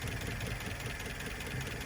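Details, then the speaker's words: 1972 Plymouth Cricket just revived with a good carb, fuel source and ignition: uneven, lumpy idle with irregular thumps and pops; valves sound loose, some backfiring and imbalance, slight blow-by, no ignition crossfire heard; cause unconfirmed. "It's a little rough. Now the valves sound loose. You can hear them pretty good."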